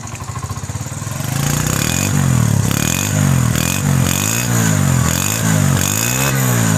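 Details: Single-cylinder motorcycle with a new Euro-tech silencer, new kick and kick shaft, tappets set at 0.07 mm, started without throttle: loud thump revving up and down cleanly, no knocks or rattles; healthy engine.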